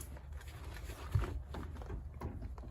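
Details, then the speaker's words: Renault Zoe ZE40, 116k, front wheel rocked by hand: dull, irregular knocks from the centre of the front end, not the ball joint; steering rack suspected. "oh yeah hear that so nice knocking noise um and you can usually feel if it's the ball joint kind of just behind there but this is really Central and it looks like the steering R's actually in"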